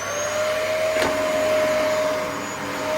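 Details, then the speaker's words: Vacuum cleaner running on thick carpet after a full service, brush bar not yet cleaned; steady, even motor hum with a constant high whine and no rattles or surging, working fine now. "Oh yeah. So yeah, that works absolutely fine now."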